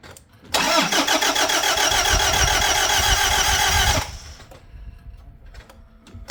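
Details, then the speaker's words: Toyota Hilux diesel right after fuel filter change and priming: quick even starter churning, three to four beats a second, about 3.5 s without firing, sounded like no compression; cause was the wrong key, which doesn't start the car. "that sounded like it had no compression"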